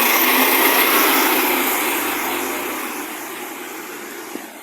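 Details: Diesel garbage truck roaring loudly with a harsh hissy rush that fades as it moves off; exhaust leak suspected, not confirmed.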